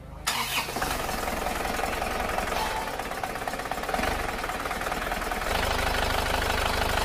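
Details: Diesel engine after engine rebuild, previously making a tak-tak knock, fresh radiator and coolant: catches quickly after short crank, settles to steady even idle clatter with no sharp repeating knock; normal start, noise gone.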